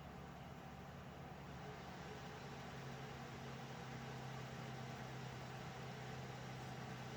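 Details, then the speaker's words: Alphacool Eisbaer Pro Aurora AIO cooler in a server, about 3 years old, after pump motor replacement and cleaning. Full stress test: steady loud fan rush and constant low pump hum, no rattle or gurgle, socket giving off serious heat. Normal running under load. "yeah those heat sinks are actually working there's some serious heat coming off that socket okay so you can hear how noisy these fans are"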